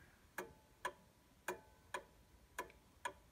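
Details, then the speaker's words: 1800s Seth Thomas OG clock, pendulum just rehung after repair: ticks about once a second but gaps alternate long and short, uneven tick-tock; out of beat, to be fixed by bending the verge arm and levelling the clock. "like it's working pretty good it is out of beat and I will work on that I can work on that by bending the verge arm here and by making sure it's flat and level"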